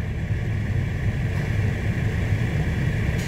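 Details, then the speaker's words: 2014 Ford F-150 XLT 3.5L blower motor, commanded to max by increasing the PWM pulse width, drawing about 20 amps at roughly 4.36 V; steady, even fan rush with a smooth whirr and no rattle or squeal. "and that's max right there guys okay voltage let's see we're getting about so about four 4.36 about 20 amps"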